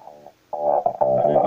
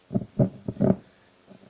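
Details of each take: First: Labtec speaker after replacing volume potentiometer and a section of speaker cable that caused crackling: music plays clean and steady, no crackle, squeak or dropouts while adjusting; clean audio playback. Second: Labtec computer speaker with volume control/switch, brought in for crackling and noise: loud rough crackle bursts then irregular crackling and hiss, also when wiggling the cable; suspected wire fault in one or two places or volume potentiometer, which will be replaced.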